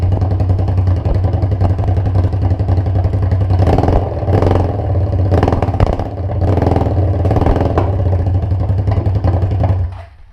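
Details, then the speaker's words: Suzuki SV650 track-build V-twin with open exhaust, blipped after carb cleaner and an exhaust fix. It revs loud, with a slightly ragged beat, still breaking up a little; owner now thinks the carbs aren't clogged. "That carb cleaner really, like, that was the first time I've ever been to rev up the bike like that. It's still breaking up a little bit, but I honestly think if I open this thing up and drive it soon, this thing's gonna run sweet."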